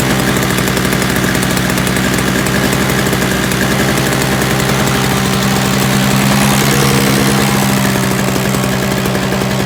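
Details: Free roadside Toro single-stage snowblower with a missing primer bulb, Seafoam added, run on and off choke: a steady, even two-stroke buzz with no stumbling or surging, running normally.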